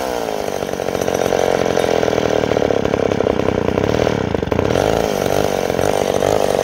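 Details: McCulloch 10-10S two-stroke chainsaw after its fuel-cap check valve was replaced, which stopped the earlier gurgling: buzzy steady running with a brief sag and unsteady note. It is still not running cleanly while the owner waits on parts.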